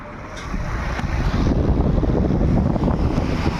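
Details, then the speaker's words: Stand fan that was noisy with good bearings, after the loose play was tightened instead of replacing the bearings: only a smooth, steady air rush with no rattle or scraping. The noise is gone; normal running. "इसका पूरा sound बंद हो गया है। ठीक है? इसका पूरा साउंड बंद हो चुका है।"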